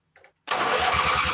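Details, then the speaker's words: Late-80s Craftsman GT6000 mower, 18 hp Briggs, sat outside for a while: starter cranks steadily but engine never catches; petrified fuel line, no fuel pump pulse or pressure, owner suspects bad vacuum fuel pump or sticking float; cranks but won't start. "Yeah, I really don't hear that pumping either. Usually with these pumps, you can feel a pulse. I'll give it a little bit of a gasatone here, but I don't have high hopes. Not feeling any pressure. We're not getting any fuel pump pressure at all."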